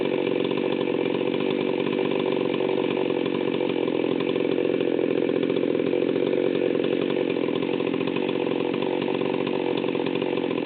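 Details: Stihl 038 Magnum chainsaw, fully assembled, unloaded at wide-open throttle for tach reading: high steady scream with a slightly blubbery edge; high-speed needle set rich.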